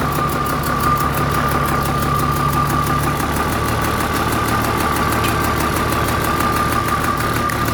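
Steady, even diesel idle with a smooth low rumble and no knocks or misses; the excavator engine sounds healthy.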